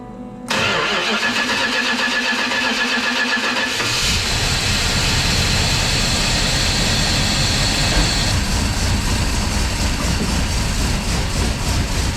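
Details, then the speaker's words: 1965 Plymouth Fury wagon with Holley EFI, after reseating injectors and fixing connectors: fires straight up, settles to an even idle, picks up smoothly with no misses; all cylinders running clean. "yep, now that one's not missing a beat at all."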